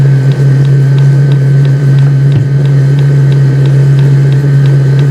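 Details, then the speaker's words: Vevor compact diesel heater, bought to heat a 1974 Boler RV, fully running about 3 minutes after start on its lowest setting: steady low hum with faint even fuel-pump ticking about twice a second; normal running. "Okay, so after about 3 minutes, it is running. You can definitely hear it, you can definitely feel it."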